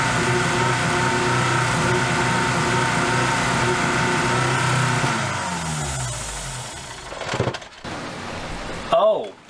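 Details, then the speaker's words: Dodge Neon ACR with the MAP and knock sensors unplugged. The engine runs unevenly with a lumpy beat, then sags and dies after a few seconds: rough running. "I found map sensor wasn't plugged in and my mortal enemy the [ __ ] KNX sensor was also not plugged in let's see if it SPS up now it's got a little miss"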